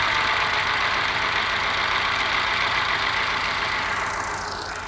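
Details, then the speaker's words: Moke engine bench-tested on a stand with fuel squirted down the carby and the starter jumped: uneven, lumpy idle with a hiss and a stumbling beat; missing on one cylinder, and the owner is trying to find which one. "I've got a miss on one cylinder. I'll see if I can find out which one it is."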